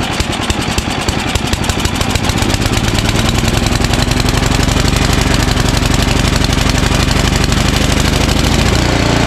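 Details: Ariens ST1128 snowblower, 11HP Tecumseh Snow King engine, cold day, after carburetor cleaning and pilot jet fix for surging: steady, even single-cylinder putter with no rise and fall in speed; runs smoothly without surging.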